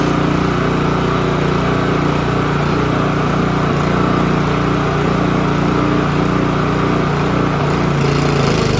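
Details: Honda HRB215 push mower, stored for years and not running, now fixed and started on choke: small single-cylinder engine runs steady and even at fast idle, no misses or knocks.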